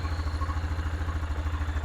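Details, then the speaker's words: Hisun Axis 500 4x4 with bypassed failed fuel pump relay, hot-wired through fuse and switch: steady low thrum pulsing evenly about eight times a second with no stumbles or misses; engine idles cleanly. "fuel pump comes on is the ultimate test all right that is music to my ears"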